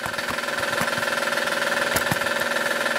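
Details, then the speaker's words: 2010 Honda Odyssey 3.5L i-VTEC at idle: even light knocking about four per second over a steady idle; needs timing belt, tensioner and possibly idlers. "but the other thing is knocking like all get out so basically what this thing here will need is a timing belt"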